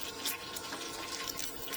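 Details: 2023 Baby Stabi 1550 Frontier boat, bait tank pump running: steady hiss and splash of water pouring into the tank, even and uninterrupted; bait tank filling normally.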